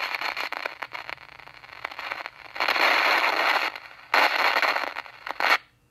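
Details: RCA 8-X-541 tube radio, after recapping and replacing out-of-tolerance resistors, gives a harsh irregular crackle and static bursts. Signal tracing finds the noise already at the volume control's high side, so it comes from the front end, not the audio section. Many viewers suspect silver mica disease.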